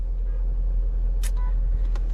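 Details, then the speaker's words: 2012 Dodge Durango Citadel driving after the rear CV axle, whose inner joint was bone dry, was greased: steady low road and drivetrain rumble with no popping from the rear axle. "But as of right now, I don't hear the popping. And again, all I did was grease it and pull the bands off the boots and greased it."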